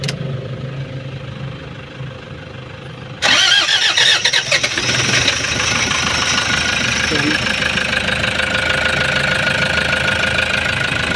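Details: Toyota HiAce diesel van, previously no-start, after reinstalling its pressure pump (suction valve replaced elsewhere): engine cranks, catches quickly and settles into a steady idle with normal diesel clatter; normal start and idle.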